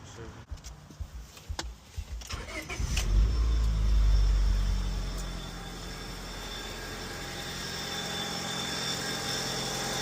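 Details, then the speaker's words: Engine after a quick misfire fix: a quick crank, a brief rev flare, then an even, steady idle with no stumble or shake; it now runs much smoother. "Yeah. Like much smoother. Hell yeah."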